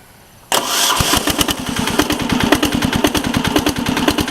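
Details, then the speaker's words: 1983 Case 446 tractor repowered with a Lombardini 6LD435 mechanical diesel (no glow plugs or block heater), run briefly earlier, about 53°F, still cold and smoking slightly. Catches within half a second into even clatter: normal cold start. "Engine still is cold. It's smoking a little bit. Smoke clears up when it's warm."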